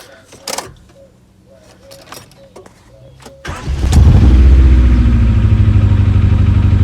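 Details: Rover 416 GTi non-runner that had cut out, tried after a new part arrived; catches after a few quiet seconds and settles into a lumpy, stumbling idle: misfire at idle, cause unconfirmed.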